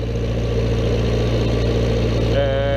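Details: Old Vermeer 665A stump grinder idling while the cutting wheel, tongue and travel controls are worked. A steady, even low idle, with a smooth hydraulic whine joining near the end; the engine sounds healthy.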